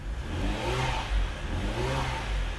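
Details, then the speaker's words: Ferrari with its intermittent fault present: engine revs sluggishly with a flat note at half power when throttle is pressed, suspected loss of one bank. "That's me putting my foot down. It's half responsive. Let me see if I can capture this on camera. So, watch my foot. Watch the taco. Half power. It's really sluggish. You can hear it as well."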